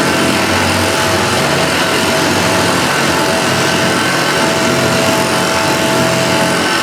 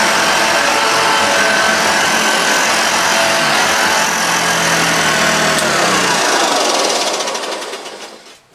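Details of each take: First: Restored Hoover Junior Dirtsearcher 1354A upright vacuum after a stretched agitator belt was replaced: steady, even motor roar with constant rushing airflow, no slapping or squeal; vacuum and agitator sound healthy. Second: Restored Hoover Junior Dirtsearcher 1354A upright vacuum: over the loud motor hum a fast regular tick, about four a second, from the brush roll, its end cap at one end rubbing a little in the corner.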